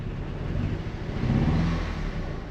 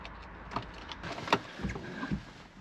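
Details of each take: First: Petrol Audi TT project car that previously wouldn't start: now starts but idles really badly, a low, lumpy, stumbling idle. A misfire of unknown cause; the owner had wondered whether the injectors were bad. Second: Audi TT no-start with a newly installed fuel pump, on booster power with the key cycled: a few light clicks, then a steady buzzing hum of about three seconds that cuts off; the fuel pump primes normally.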